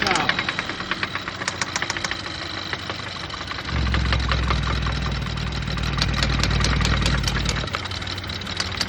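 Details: Idling engine with a sharp, regular knock about three to four times a second, louder with the oil cap opened: rod knock.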